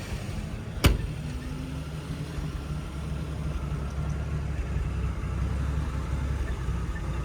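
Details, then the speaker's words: 1981 Jeep CJ-7 Laredo, 258 inline-six, 4-speed Tremec T176, after tune-up: a single click, then a quiet, steady low idle with no misses or knocks; fires right up, healthy. "Let's fire it up. Fires right up, no problems. Great sound."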